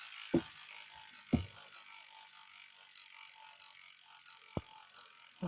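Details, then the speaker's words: Bicycle (Trek or Planet X) pedalled on a stand with gears skipping: a few sharp, irregular clicks about a second apart from the rear derailleur, set too high; off indexing or a cable issue suspected. "you can see it's clicking now is it clicking because it's high or clicking because it's live clicking because it's high"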